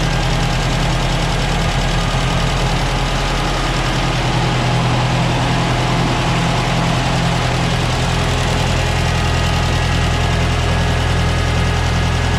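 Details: 1968 Ford 5000 diesel tractor, barn find sat 10 years, first run after restoration work: even, steady diesel idle at about 200 beats a minute, no misses or knocks; sounds good, healthy.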